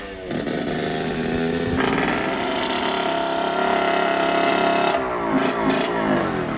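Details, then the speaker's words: 1989 Yamaha YSR 50 two-stroke, long sitting, carburetor cleaned, first ride: high buzzy two-stroke note holds, surges, then drops out abruptly; engine cuts in and out at high revs, exhaust restriction suspected. "all right so it keeps on cutting in and out like that"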